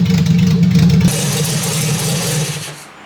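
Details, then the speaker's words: Fiat 147 petrol engine idling with gearbox turning, just after filling the gearbox with 80W90 oil; steady low hum with no whine or grinding, the earlier gearbox noise now gone. "definitivamente o barulho que fez, era assim que a caixa estava, então agora que já está cheia de óleo, o som foi suprimido."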